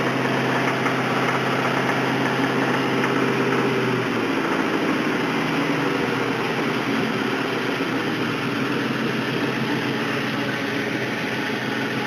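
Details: 1999 Mustang GT 2-valve 4.6 V8 run low on oil, idling roughly: a dull, uneven knock about three per second under the exhaust note; rod knock from a worn rod bearing after oil starvation.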